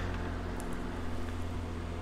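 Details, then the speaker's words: Utility heater fan motor in shop, running with cover off after bushing lubrication: even steady low hum and smooth whir, no ticking, rubbing or squeal, quieter than before; normal fan running. "Yeah, that's nice and smooth and quiet too. It's quieter than it used to be."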